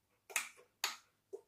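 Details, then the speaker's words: Electric mobility vehicle with automatic electronic brake: three crisp clicks about half a second apart as the drive motor engages and the brake releases and sets on letting go of the control; normal operation. "That's the motor engaging and then the brake working. So it's whenever you're driving it, as soon as you let go of that, it'll click."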